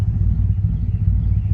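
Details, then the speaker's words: 2006 Chevy Silverado 5.3 V8 just fitted with a Texas Speed Chopacabra cam, not yet tuned: deep, lumpy, uneven idle with irregular low thumps and sagging revs, idling very low and wanting to die in gear; check engine light shows random misfire. "you can drive it now but when you put it in gear it wants to die because the it's I mean you can see how low it's idling right there"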